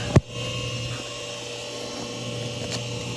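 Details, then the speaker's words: Hayward heat pump pool heater, after heavy rain: only a click then a low steady electrical hum, no whoosh of air; unit powers on but fan doesn't turn. "It goes on, but this thing doesn't go round. That's No the fan? problem. No fan. That's the problem."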